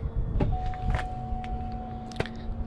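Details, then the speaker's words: 2007 Cadillac Escalade ESV, about 13 years old, under 100k miles; button-operated power liftgate: latch clunk, smooth even motor hum about two seconds, soft thud; still works properly. "there you go after 13 years it still works that is what is excellent about this about this vehicle"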